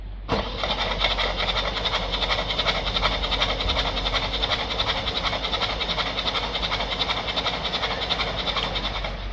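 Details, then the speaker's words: Citroën C3 1.5 with a cylinder 4 misfire that got worse after an injector clean, cranked with the injectors removed. Fast, even starter churn with a hissy whoosh and no firing; diesel was found in a cylinder and possible metal in cylinder 1. Afterwards it would not start. "Looks like we've got metal in cylinder 1. Not sure if that's metal, it looks like it. Let's just turn the engine over, see what comes out."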